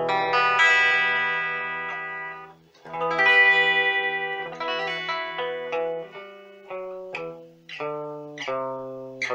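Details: Meteoro Atomic Drive 20W guitar amp after repair of crackle/hiss caused by the potentiometers (pots, knobs and switch cleaned): clean chords and single notes with no crackle, hiss or scratchy dropouts. The amp now works properly.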